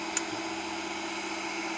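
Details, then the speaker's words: Monoprice MP Select Mini 3D printer: two sharp clicks about two seconds apart over steady motor hum, each at the same point in the move where waves appear in the print; seems to come from underneath the bed, cause not confirmed. "it clicks right there where that little wave is, and sometimes coming back and forth, clicks right there, and again. It just keeps clicking like that."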